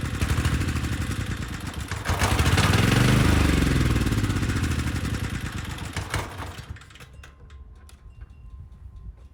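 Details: Briggs & Stratton Storm Responder generator, bought non-running with compression, runs steady and healthy after its dirty carburetor was cleaned and the needle and seat checked; it starts right up and carries a 3000 W load without issue.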